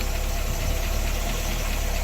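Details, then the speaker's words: 1966 AMC Rambler Rebel Classic at idle after an oil pressure check: low, steady, even beat with no lifter tick; the earlier ticking was blamed on lifters not pumping up, and oil pressure now reads good. Rocker shafts are being rebuilt next. "so it's running good sounds strong as you guys can probably hear"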